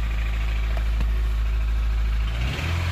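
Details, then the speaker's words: 2003 Honda CR-V K20A4, after valve clearance adjustment for a knocking/tapping noise that began after hard high-rev driving: steady low idle with faint uneven tapping, about four a second; tick persists, slightly changed, cause unclear. "now it's not better [Music] that was a waste of a day didn't work sounds slightly different though sound the same anyway it sounds slightly different it doesn't sound exactly the same"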